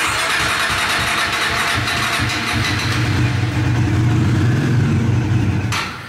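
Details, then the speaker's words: Bajaj Dominar 400 motorcycle, new, not starting: fires and runs ragged about five seconds on sprayed fuel, then dies; fuel starvation, not getting fuel, pump, injector, computer or lines still to be determined. "y esa pago porque ya se le acabó el gas"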